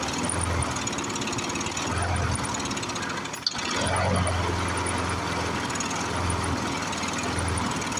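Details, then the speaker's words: Briggs & Stratton 6.0 hp single-cylinder mower engine, seized from long sitting, run on ether, varnished sticking needle valve. Uneven, ragged beat, surging and dipping every few seconds. Rough running with surging; needs carburetor work, oil change and tune-up. "you can see we did get her going it really should have a carburetor and oil change tune up"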